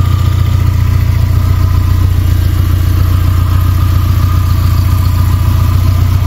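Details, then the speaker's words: Suzuki Samurai with Holley Sniper EFI conversion, after wiring fixes and reset to factory settings, computer not yet learned: heavy, low, slightly uneven idle thump around two and a half beats a second with clatter; engine unhealthy, cause unconfirmed. "adjustments the engine definitely ain't healthy"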